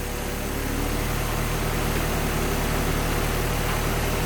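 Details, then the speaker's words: Project car idling while heat-cycling to burp the radiator after a coolant leak repair, with fluids in, no leaks, and antifreeze being topped up: steady, even low idle with a smooth regular pulse and no knocks, misses or squeals; normal. "we've got fluids in it it's not leaking and Liam's getting ready to start it up and we're gonna let it start heat cycle and burp the radiator and top it off"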